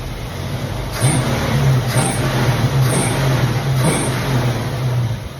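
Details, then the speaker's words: 1965/66 Ford Mustang 289 V8, barn car revived after decades sitting, coolant leaking at thermostat housing, good oil pressure: crisp throttle blips about once a second, revs climbing and dropping cleanly without misfire or knock; healthy free revving. "Pretty snappy for a 289. I'll go ahead and kill it."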